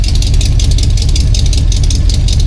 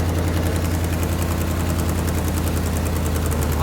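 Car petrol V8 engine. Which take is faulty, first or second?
second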